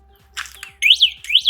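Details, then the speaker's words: 2022 E-Wheels EW-46 four-wheel mobility scooter, breaker switch under the seat moved to on during assembly: a short tone, then two pairs of sweeping high chirps over about a second; the normal power-on alarm signal. "Just move it over to the left, and as you can hear, the alarm system is on, indicating that you now have power to your device."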